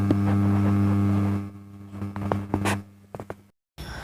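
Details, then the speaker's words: 4440 IC amplifier with speaker connected, all volumes full; only a low, steady hum from the speaker box with no music or signal, the 4440 IC overheating: amplifier hum with no output from blown amplifier IC. "यह speaker box में से थोड़ा भूत हम इन की आवाज आ रही है सुनिए है"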